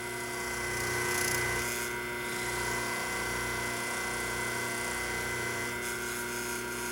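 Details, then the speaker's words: 1976 General Electric Q174461 motor for a three-belt White Westinghouse front-load washer, 1/2 hp, 1725 rpm, 115 V 60 Hz, shaft gripped by hand to load it: steady electric hum with even tones, smooth strong run under load, healthy. "I can probably get it up to about it'll burn my hand up. get the power to go up."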